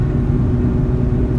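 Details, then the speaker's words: Mazda RX-8 after quick fix for bad front hub bearing, test drive around 40–60 mph: smooth, even low road rumble, no hum, growl, vibration or wobble; hub bearing now sounds normal. "yeah it seems like the issues fixed so don't feel any vibration or wobble anywhere in that foot was at 40 to 60 range"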